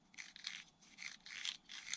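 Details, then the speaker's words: Arrma Outcast 4S V2 differential hand-turned in its case: gritty gear crunch about twice a second, harsher at one spot in the rotation, a tight spot. Owner suspects gear thickness variation and case force; debris seen, apparently getting past the bearing. "Hear the difference in tone? It's fine there. It's just right there. It's because of the gear. The gear's got a slightly different, probably thickness to it."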